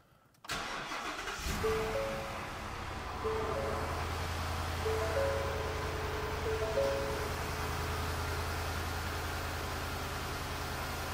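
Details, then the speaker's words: Ford Super Duty Tremor 7.3 Godzilla V8 just after spark plug replacement: catches quickly into steady, fast cold-start high idle with an even smooth beat and no misses; normal cold start. "Doesn't sound bad to me. It's got the cold start, high idle. Cool. We'll let her warm up and then be off on the road."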